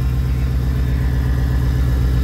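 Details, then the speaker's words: Ford Mustang V8 lacking power, cylinder balance test flags cylinder 2 at −7; deep, lumpy idle with an uneven, stumbling beat instead of a smooth rumble; misfire at idle, spark plugs not yet checked. "Miren, cilindro 2, menos 7. Y ahí se escucha cómo está fallando."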